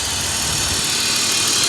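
Short stretch of smooth, steady idle with no knocks, misses or rattles; the engine runs evenly and sounds healthy.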